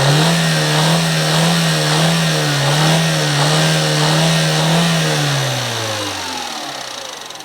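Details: Mini Cooper N12 petrol engine revved up and down, after retiming and a new timing chain tensioner: a heavy, rapping knock that grew over 300 miles; suspected rod knock.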